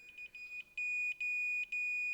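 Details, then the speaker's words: Mr Heater tank-top propane heater that won't stay lit, tip-over switch (ball-bearing type) on a continuity test: lightly moving the wire makes the meter tone stutter and drop out on a millivolt circuit, showing intermittent switch contact. "I'm just lightly moving that wire and that that'll definitely be enough to mess it up cuz we're talking Mill volts here"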